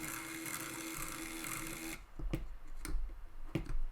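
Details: Water-damaged Amiga 600 Panasonic floppy drive: steady motor whir, then a few uneven clicks and thumps as the head tries to step but barely moves; head mechanism sticking, cause not confirmed.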